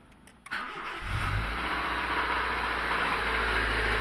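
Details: Honda Civic fastback engine starts and settles to idle with a rapid knock under the running note, about four per second; badly worn connecting rod bearings, repair planned.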